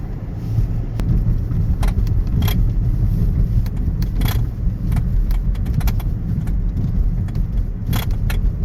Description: My 2013 Hyundai Sonata was having big rattling noises every time i would go over a bump, or steer too suddenly. IT turns out there was a plastic steering coupler that needed to be replaced.